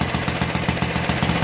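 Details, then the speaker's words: 1952 Clinton VS-700 single-cylinder push mower engine, revived after cleaning points, carburetor and unclogging fuel line, tuned and running high and low, no air filter fitted; steady even putt-putt at idle, firm regular beat, no misses. "but as you did here she runs well got her to tune in um she runs high and low"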